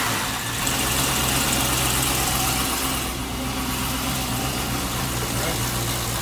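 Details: Rebuilt GM L92/LS3-family 6.2 V8 with LS3-style harness, no accessories fitted, fully warmed up on the run stand; deep, steady burble with no knocks or ticks, a healthy idle with great oil pressure.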